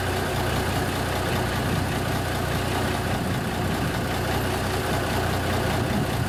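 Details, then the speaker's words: 1974 Kenworth W900A truck with NTA420 Cummins diesel, started first try after sitting three years, on a battery borrowed from a pickup. A deep, even rumble at steady idle inside a building, with no knocks or misses: a normal idle. "so that's good sign sounds good inside a building oh it's going"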